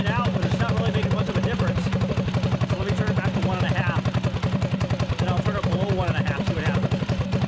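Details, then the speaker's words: Predator 224-powered GTS mini bike, PWK carburetor (26 mm spoken, 24 mm listed) with 32 pilot jet replacing the 38 and 115 main; air screw about 1.5 turns out, idling fairly slow; quick even putter, about four pulses a second, no hunting or misses; mixture set right. "so we're already idling pretty slow so adjust it from here"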